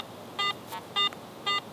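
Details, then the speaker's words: AT Pro metal detector in Pro mode with iron audio on, sweeping a buffalo nickel: crisp mid-pitched beeps about every half second with no iron grunt, a clean medium tone from a good target. "Still sounds clean, still sounds like a good target."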